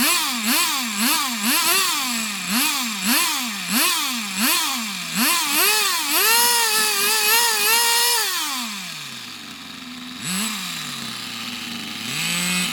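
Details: Unknown nitro RC buggy after its very high tick-over was lowered, with suspected filter problems blown through: high-pitched buzz with repeated blips about twice a second, then steady high run easing down, running cleanly.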